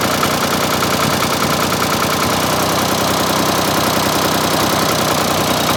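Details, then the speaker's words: Ford 4000 three-cylinder diesel tractor idling after replacing the failed front injector: steady even clatter with no dropped strokes; all three cylinders now firing, misfire fixed. "All right guys, well that sounds like good news. I can clearly hear the difference in here now that that third injector is firing."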